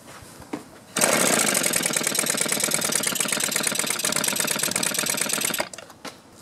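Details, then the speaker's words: Small two-stroke with barrel carburetor, mixture screw opened a quarter turn, no choke: catches, runs rough uneven rattle about four seconds and dies, worse than before; dirty carburetor to be cleaned. "try a little throttle same thing I turned it out a quarter turn it seems like it's not even doing as well as it was before"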